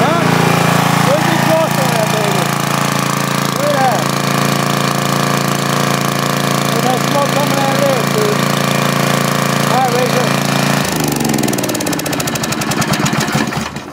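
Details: Rebuilt 10 HP Briggs on a 5000 W Coleman generator, formerly smoking, after new rings, running a grinder: steady fast single-cylinder chatter holding speed under load with the tool whirring over it, no stumbling or knocking; no smoke, healthy.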